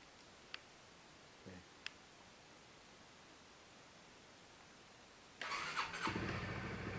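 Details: Motorcycle with trouble starting and cutting out while riding, cold start at about -12 °C in a poorly insulated garage after a previous bump start: brief starter whirr, then it catches and settles to a steady idle; starts cleanly, cut-out still unexplained.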